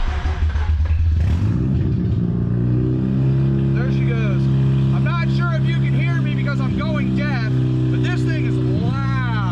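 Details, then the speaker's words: 2005 Mazda RX-8 1.3L rotary with catalytic converters stolen: very loud, raw unmuffled bark climbing with each rev and dropping back; loud exhaust from missing converters. "Okay, well, as you guys can hear, it's loud."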